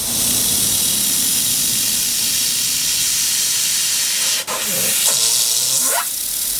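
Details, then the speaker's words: Airbrush at high air pressure with paint too thick: hiss with uneven, intermittent stuttering breaks instead of smooth flow as paint is pulled, limiting how fine a line it can spray; sputtering from overly viscous paint. "Mas você percebe que quando está fazendo esse som meio repicado, não está um som liso, quando eu puxo a tinta, é característica de tinta muito grossa. Um som intermitente, repicado, né?"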